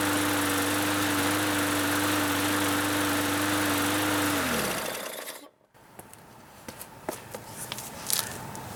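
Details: Bolens (MTD) 21-inch push mower, after carburettor cleaning and fresh fuel (previously cut out after startup): steady, even drone for several seconds without surging or cutting out, then winds down at shutoff; running normally.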